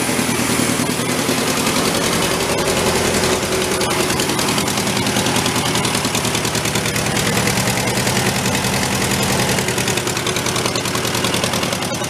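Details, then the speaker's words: Homemade tractor with Volkswagen engine, long-stored, just started on choke after oil-leak repair, not yet warm: loud rough idle with fast rasping puff over the beat; exhaust noise, owner suspects header pipe leak, unconfirmed. "I don't think we got a hole in the manifold kind of sucks I think that header pipe in there has got a leak somewhere definitely not as placky though"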